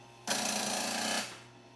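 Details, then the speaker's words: Scantron 888P+ test-scoring machine with a feeding problem: one-second burst of rapid even pin strikes as the dot-matrix head prints the score (7 correct, 3 false) on the form; normal printing. "And it prints the number correct there, so 7 correct, 3 false."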